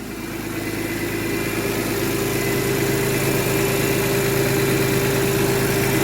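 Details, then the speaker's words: BMW S54 engine after valve adjustment, one valve that was well out of spec corrected, warm day around 90°F: smooth, quiet idle with blips and no lifter tick, idle possibly still a little high. "as of right now there's no more ticking at all [Music] very quiet"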